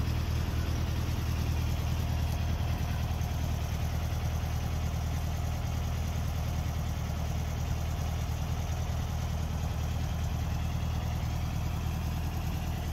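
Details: 1964 VW Beetle, 64K original miles, air-cooled flat-four after the electric choke dropped off: steady even low rumble, no knocks or misses. Normal idle.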